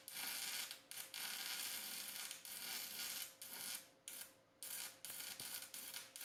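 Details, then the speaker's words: Cheap $35 multi-process welder stick welding 6011 rod turned up to 80: a harsh crackling arc keeps cutting out and restriking about once a second, never a steady fry. The welder is unusable for 6011. "All right, I'm going to call that a no-go for 6011. 6011, it will not do well at all."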